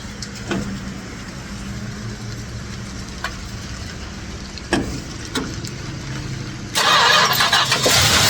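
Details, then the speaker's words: 1967 Chrysler Newport, sitting for years, started with fuel squirted down the carburetor (tank fuel not yet pumped): starter cranks with stumbles, engine catches, holds uneven idle, then revs strongly; normal start and idle. "I like how it fired off there for a second. A little more. Whoa, way too much. All right. That's a starter. It runs."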